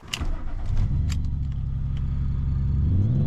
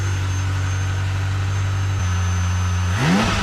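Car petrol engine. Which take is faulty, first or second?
first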